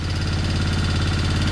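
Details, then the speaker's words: Royal Enfield Interceptor 650 twin just revived, throttle held open: a fast, even beat well above normal idle with no misses or knocks. Owner suspects it is running high because it is open. High idle. "I'm not closing the throttle in the hopes of it not dying it's it's running a bit high in the RPMs but that could be because it's running open"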